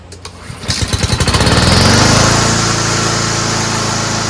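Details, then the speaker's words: Toro Recycler mower rebuilt from three broken ones with a Honda engine modified to fit, oversized belt, frayed cable; a few pull-start coughs, then it catches and settles into an even, steady run with light blade whistle: normal running. "Let's see if it starts. Sounds great. That's a good engine, man."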